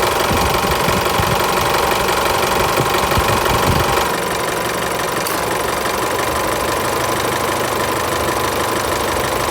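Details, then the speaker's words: Isuzu Mu-X diesel idling after fixing AC belt and compressor clutch noise: belt runs steady without flapping, usual even clatter, no belt or compressor clutch noise even with AC on; normal idle. "เขาคือหมุนนิ่งเลยนะมิ่งมากๆเลยและก็ไม่มีเสียงแล้วด้วยนะครับ"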